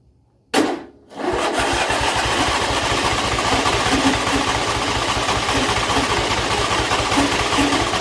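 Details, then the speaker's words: John Deere L120 lawn tractor just after carburettor replacement, cranked first with choke, then choke off and low throttle: starter cranks on with a slow, uneven chug that never catches; abnormally long crank, cause not yet found. "Still a really long crank. It shouldn't take that long."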